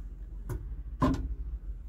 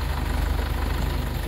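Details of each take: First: ACE Hydra crane, cabin control lever (last of four) that sticks when steering: sharp irregular clunks every half second over low engine hum as it's worked; debris in the control valve spool suspected. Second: Hydra crane after repairing the sticking control-lever valve spool, test-lifting a 6-ton box: low, steady engine drone with even pulses and no groaning, juddering or stalling under load; the crane swings smoothly and the lever seems no longer to stick.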